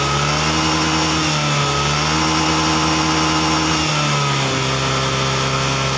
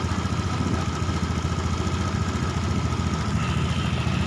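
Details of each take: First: Honda Beat ESP fuel-injected scooter, revs rise unevenly and dip twice early, then steady but still stumbles slightly under throttle. Hesitation ("brebet"); coil resistance read normal, slight corrosion on its wiring; data judged only about 75% normal, O2 sensor readings questioned. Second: Honda Beat ESP fuel-injected scooter that was hesitating, with RPM previously dropping: single cylinder idles evenly at a fast, settled rate around 1,600–1,700 rpm with no stumbles or misses; idle now holds steady.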